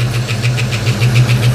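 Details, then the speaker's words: 1989 Mustang LX 5.0 V8, first start after about three years off, new fuel injectors, warming up: quick evenly spaced light ticks about seven per second over steady idle; ticking noise at idle, source unknown. "It's settling into an idle, but I don't know what that noise is."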